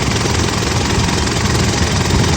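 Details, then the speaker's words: Gen 4 Mitsubishi Pajero at idle after fitting a new genuine Mitsubishi air filter in place of an old Ryco: a steady, even, deep rumble with the air box rattle gone. "that rattle's all gone now don't different from sound we're putting that new filter on"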